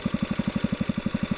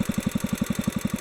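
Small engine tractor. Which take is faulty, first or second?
second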